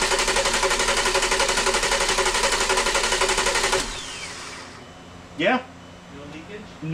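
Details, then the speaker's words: 2002 Volkswagen EuroVan VR6 24v, second crank after rebuild and reassembly, in park, with no ignition source so it only turns over. Fast, even cranking at about four beats a second with no skipping, unlike the earlier skipping crank, meaning oil has reached the lifters. "you heard that that shift where it was kind of skipping uhhuh and then on that second crank it was just steady okay that's that means that oil's gotten into the lifters"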